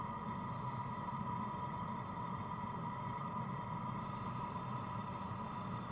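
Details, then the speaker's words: New BougeRV diesel air heater, warmed up: steady low rushing roar of an open exhaust with a faint even hum, no fuel pump ticking; normal running without a muffler fitted. "So, all you can hear is the exhaust. There's no uh diesel pump ticking at all. And I think that noise on that exhaust would be much quieter with the muffler on there."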